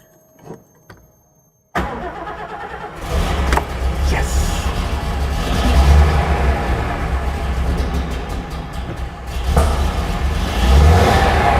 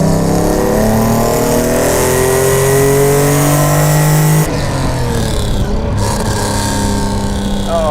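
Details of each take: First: Mercedes-Benz 300 SL Gullwing, first start after years off the road, fuel system bled and cranking enrichment knob pulled: a short crank, then a coughing, spluttery, uneven idle with surges; adjustable, and oil pressure is good. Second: Mercedes-Benz 300 SL Gullwing, recommissioned after years off the road, fuel injection cleaned and set up, warming up on the drive: smooth rising engine note pulling cleanly through the revs, then even cruise; crisp, strong, healthy acceleration.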